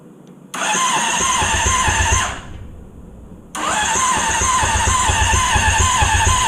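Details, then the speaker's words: Honda CBR600RR engine in off-road go-kart, rewired harness with no key: two bursts of fast even cranking, about four beats a second, never catches; still no spark, owner suspects missing ground or a gear sensor. "still no spark that's something I can work on but I'm sure it's just a ground of missing or or maybe a sensor that things that's in another gear or something"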